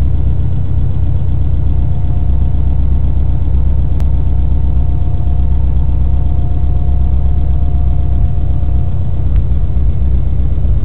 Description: This ticking noise from my built EJ257 can be heard best from inside the cabin. It was present from day one that the new motor was started but it used to only appear 2 mins or so after a cold start.